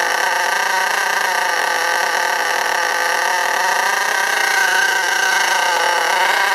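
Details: STS D30M small engine during run-in, no throttle applied; high buzzy scream whose pitch creeps up and drops slightly, sometimes fully revving out and smoking before cutting out: engine surging and over-revving.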